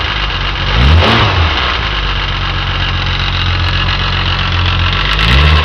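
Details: Jaguar E-type Series II engine idling and blipping: busy mechanical clatter rising with revs, apparently from the timing chain end of the exhaust camshaft, persisting after several repair attempts; cause not stated.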